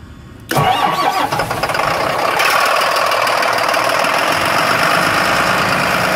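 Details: 2007 Mercedes MBE 900 diesel in a school bus, cold-started from the rear after sitting a couple of days at -15 to -20 °C: a brief crank, then it catches at once into a steady, even idle with no misfire.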